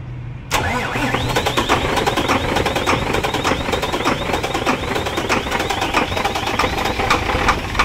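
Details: Howo 380 A7 truck with hard starting and stalling: engine fires up and settles into an uneven run with sharp irregular clattering knocks over it; rough knocking running, cause not stated.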